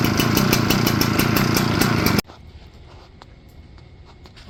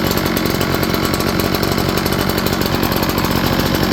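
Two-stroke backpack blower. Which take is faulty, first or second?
first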